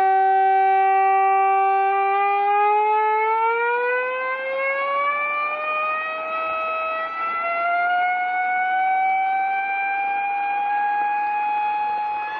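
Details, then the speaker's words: Reverse joule thief with 2N3055 transistor and smaller transformer, started at 100 mV while a 22k pot is adjusted: clean tone sliding upward, nearly inaudible at 1.2 mA, frequency rising as capacitor voltage falls (89 mV at 2.6 mA); normal. "it's gone inaudible now near enough and i'll back this potentiometer off and the frequency will continue to rise as the voltage in that cap decreases"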